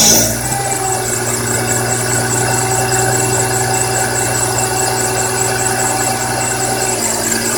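Steady high chirp and squeal ride over the idle with a scratchy edge and no change in pitch; the source is not yet pinned down.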